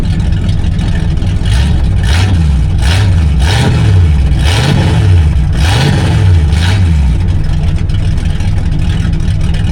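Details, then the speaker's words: Big-block Mercury land yacht with exhaust cut off ahead of the mufflers in an attempt to make it run better: deep, very loud unmuffled rumble swelling with each throttle blip. Open exhaust, before dual exhaust install. "In an attempt of desperation and uh a little too many wobble pops, I try to make this thing run better by cutting off the exhaust."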